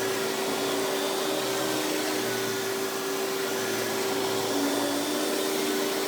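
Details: Hoover PowerMax Supreme 850 S3609 canister vacuum, 1990s, non-original hose, on high speed with power brush: steady, even motor roar with clean hum, no rattles, surging or brush-roll grinding; runs very smooth, not the quietest; normal running.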